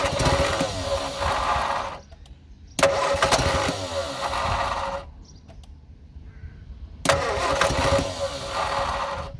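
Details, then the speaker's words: Abandoned blue Morris Minor, revival attempt, starting spray in intake, no throttle linkage: three bursts of cranking with ragged half-catches that never take hold; engine tries to fire, skipping on the starter motor, but won't run. "Okay, I definitely think that fired. You could hear it skipping on the starting motor."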